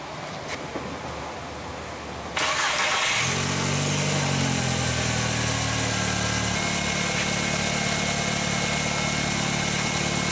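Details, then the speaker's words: 2004 VW Jetta 2.0 litre after repairing cylinder 3 misfire with new dealer coil pack, plug wires, plugs and smog pump mounts: catches promptly, brief flare, then steady even idle with no stumble; running normally. "seems to run really good"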